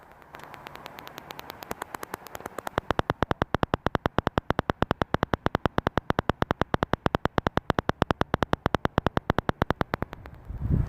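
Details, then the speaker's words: BMW E61, working parking sensor compared with a dead one at equal volume: rapid perfectly even clicking from the healthy sensor; the other side silent and judged bad. "Okay, so volume was at the same level on that sensor and on this sensor, and as you have seen, you can definitely hear the clicking on that one, nothing on this one."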